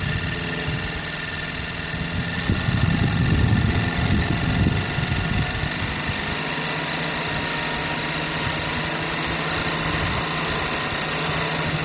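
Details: Sirius steam engine generator plant, boiler at about 40 psi, field powered, output 20 volts about 3 amps charging a battery on a warm day: smooth continuous running, steady low hum and even beat, nothing knocking or labouring under light load.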